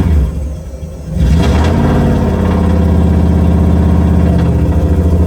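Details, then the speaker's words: 1UZ VVTi V8 in a Nissan 200SX S13 drift build, very first start: cranks, fires after a second, then holds a steady, smooth, slightly high idle; healthy, idle needs adjusting down at the screw. "now you can put the whole car on crank it yeah you're holding it by yourself try to let the idle come down a little bit"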